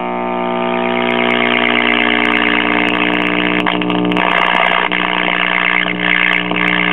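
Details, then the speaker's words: 1964 Philco AM vacuum-tube clock radio after about 30 seconds of warm-up: loud, steady hum under faint station audio from dried-out original electrolytic filter capacitors in the power supply, fixed by replacing them. Filter capacitor hum. "okay as you can hear there is a couple of stations coming through but there's also a a huge amount of filter capacitor pump which is common on these old radios when the original electrolytic filter capacitors and the power supply dry out and no longer function that's what you get"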